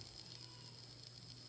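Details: Bathroom exhaust fan after motor replacement, test run: faint steady low hum under soft airy hiss, no rattles or scraping; new fan motor running normally.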